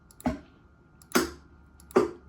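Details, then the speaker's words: Eight relays in a Gen 1 XGC virtual pinball cabinet, tested in manual mode after a dead solenoid was replaced, give three sharp evenly spaced clicks about 0.75 s apart; all relays fire the solenoids normally. "so as you can hear all eight of these relays um are working to fire the solenoids"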